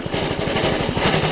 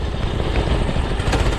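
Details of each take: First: Doodle Bug DB30 minibike single-cylinder engine, after throttle cable and carburetor work, now running better but chugging unevenly as it drops back to idle, beats bunching and stumbling; irregular idle, owner says it needs adjustments. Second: Discontinued Doodle Bug DB30 minibike, small single-cylinder engine, after carburetor change, throttle cable and other fixes: pops along steadily and picks up cleanly under throttle with no misfire or stumble, running far better than before; normal running.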